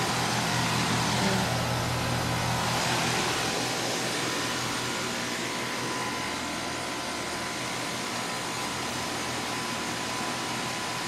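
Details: 2006 1.5-ton Tempstar heat pump (model N2H318AK100), Copeland scroll compressor, R-22, outdoor unit running alone in cooling mode set to 82°F; even fan rush over smooth low compressor hum, no rattles — normal cooling operation.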